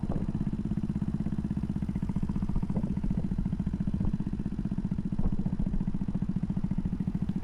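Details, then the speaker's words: RPS Racer 140 with new head and Z40 race cam, 18-tooth front sprocket, rider about 225–230 lb, third gear near 50 mph up a long hill: small single buzzes fast and even under load, no misses, revving cleanly; normal high-rpm running. "Listen to it rev all the way up. And this is a long, steep uphill. Not super steep, but it's a pretty long uphill all the way back into town."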